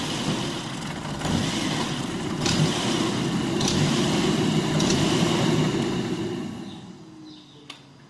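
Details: Volvo S60 petrol engine idling roughly, surging up and down with a misfire stumble about every second, then dropping away; cause a loose throttle body.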